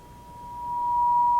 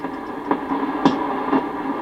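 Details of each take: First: Sony CRF-320 receiver, signal generator clipped to antenna at 10 microvolts: a pure steady tone near 1 kHz rises cleanly out of faint hiss; strong reception, receive section working well. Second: Sony CRF-320 receiver during restoration, volume up, tuning slowly through static: sharp clicks and pops about every half second; crackling suspected from dirty contacts or a bad solder joint in the pre-selector unit, to be cleaned.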